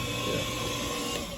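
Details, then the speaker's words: Hayward HeatPro pool heater showing an LP error: the fan motor hums, energised but not spinning, so the fan won't start. The cause was a failed dual capacitor, replaced with an 80/7.5 µF part. "Let's just make sure that the fan's not seized. What does that mean? It's because I heard the hum of it trying to come on, but it wasn't spinning at all."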